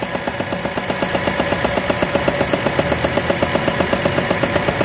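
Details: 2017 Renault Sandero 3-cylinder at idle: a sharp tick about four times a second. A loose bolt in the air filter box is rattling, and the noise stops when the box is held.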